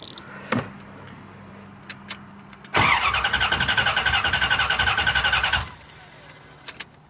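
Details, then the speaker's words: Freshly wired project engine cranked for about three seconds with no catch and no fuel pump hum; the fuel pump had no power; crank, no start. "I should be hearing the fuel pump, and I'm not. Why is that?"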